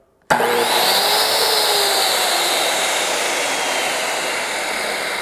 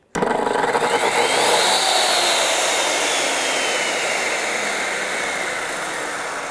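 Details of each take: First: Circular saw powered by a DaranEner NEO2000 LiFePO4 portable power station in UPS mode while charging (about 117–122 V): snaps straight up to a smooth, steady high-pitched motor whine with no bogging or stutter; normal start and run. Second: Circular saw motor bogging on a DaranEner NEO2000 LiFePO4 portable power station, inverter overloaded: voltage sagged to 64 V at 60.43 Hz while also charging; saw whine climbs slowly, never reaches full pitch, then sags and fades.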